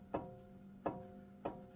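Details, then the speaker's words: 2018 Jeep Wrangler Unlimited Sport, passenger-side front axle: three sharp metallic clanks with a brief ring as the axle universal joint into the front differential is rocked by hand; visible play shows a worn U-joint needing replacement. "See how you can hear that clanking? So that universal joint is starting to go"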